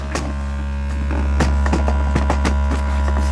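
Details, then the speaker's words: Steady low test tone with a rough buzzing rattle: the loose speaker grille frame and cloth hit the back plate at low frequencies while the speaker itself is fine. "the grill is rattling and hitting the the back plate if you touch the grill so the whole whole cloth speaker cloth is actually like a a flapping about"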